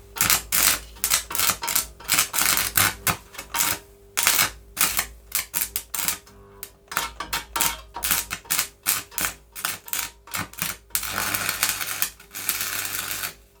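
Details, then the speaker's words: Vintage Oxford RT110 MMA stick welder after sitting about 10 years: arc crackles in short uneven bursts, breaking off and restriking, unstable; owner suspects not enough amps and rods too big. "yeah I don't think there's not enough amps in in it to be able to hold a good out with these rods the rods are too big big"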